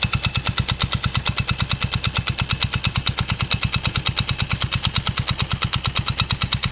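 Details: Yamaha Mio Sporty scooter after replacing the loose pulley collar that caused knocking: even, steady engine pulse at about three beats a second with no loose knocking or rattling; the CVT belt drive sounds healthy.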